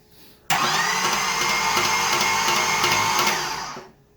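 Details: 1981 Camaro, first start attempt after fitting the fuel tank, lines and switched fuel pump: steady even cranking with no firing. Spark or compression suspected; it sounded like no compression.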